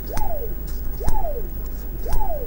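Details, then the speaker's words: Koowheel electric skateboard, about 4–5 months and roughly 170–200 km (about 140 miles) of use, no loose wheels. Three quick hand spins of a wheel, each a smooth whir dropping in pitch as it coasts down, no grinding or rattle; normal wheel bearings. "Now if you listen to the microphone, you'll hear the quality of the sound of the wheel when I spin"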